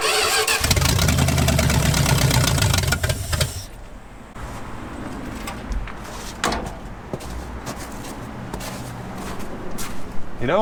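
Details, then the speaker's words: V8-swapped 1946 Dodge Deluxe, cold snowy day, running off its own fuel pump for the first time: repeated cranking catches into a loud, uneven run that falters and dies. The choke is stuck wide open because its dashpot-operated linkage is disconnected. "chokes wide open so I don't know let's take a look at the linkage here"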